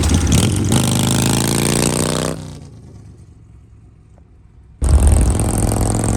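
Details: Harley Shovelhead with an S&S Super E carb after re-jetting and new throttle and idle cables: strong, even potato-potato idle that blips cleanly and settles back without stumbling.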